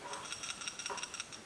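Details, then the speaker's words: Motorcycle carburetor rebuild, rattle check: light, dry metallic ticks, about five or six a second, as the check valve moves freely; a valve corroded in place would stop the accelerator pump or cause a rich mixture. "sure you could hear that thing moving around in there and you know your accelerator pump that's probably okay"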